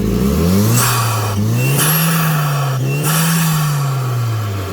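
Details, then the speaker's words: Hyundai Genesis 2-litre turbo petrol engine (automatic) for a Gazel truck, runs on petrol, methane or propane; pitch climbs and falls cleanly through two throttle blips, crisp with no knocks or rattles; normal free revving. "Mana maxluqning ovozi mana. Bitta gaz bos yana. Bo'ldi."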